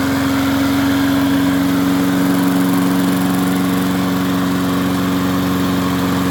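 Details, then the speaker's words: MTD 22-inch push mower, model 11-A084E029, after the spark plug wire was hooked up: a steady, even putter at constant pitch with no misses, knocks or surging. Owner notes slight vibration, possibly a bent crankshaft. "bad not bad at all well it's amazing what happens when you hook a spark plug up and it sounds a little bit better now"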